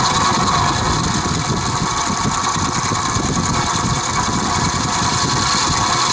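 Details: Vintage Penncrest (rebranded Lakewood) 20-inch 3-speed box fan on low, oiled repeatedly, no motor shaft play, blades tight: uneven loose rattle over motor hum; owner suspects worn bearings, unconfirmed.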